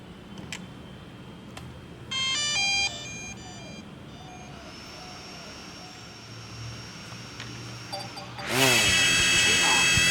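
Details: DJI Air 2S with no prior crashes or error codes and successful gimbal calibration: props spin up to a high whine with a wavering, warbling noise from the gimbal.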